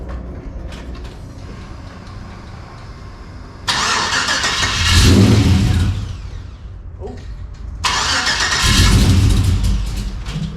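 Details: LS-swapped 1992 Dodge Dakota V8, first start after fitting a catch can and capping the throttle body: long uneven cranking before it fires and revs, as if full of fuel; it then starts fine. Flooding suspected.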